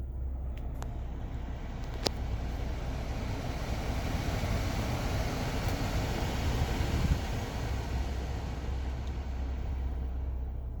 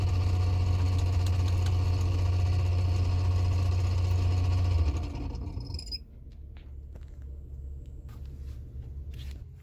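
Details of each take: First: 2017 Toyota Sienna AC blower fan after replacing the blower motor, which had been noisy because it came loose: steady even rush of air with no rattle, squeal or ticking, normal quiet blower operation. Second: 2017 Toyota Sienna AC blower fan: a loud, steady low drone that fades about five seconds after switch-off; the noisy blower motor is to be replaced.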